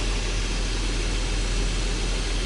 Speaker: et bien sûr il fait du bruit parce que c'est un moteur mais taipei pas de bruit désagréable de roulement de choses comme ça